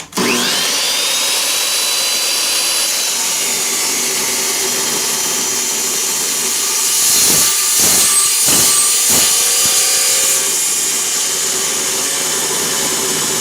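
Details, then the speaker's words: Saw blade used only five or six times cutting metal: loud high-pitched screaming cut with uneven, rasping pulsing edge, cutting poorly; owner suspects one tooth out of set, sparking too much. "I don't know why I've only used this blade like you know five or six times but it's already starting to cut like crap and I don't like that too much I don't know why but still like brand new but something's not right"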